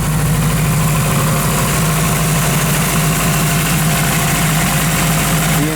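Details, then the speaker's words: Honda Civic with an eBay turbo kit, Kemso 340 lph fuel pump, new injectors and an OBD1 ECU on a base map, first start after install. It fires right up and settles to a smooth, even, steady idle. "and there we go it fired right up so that's a perfect yeah"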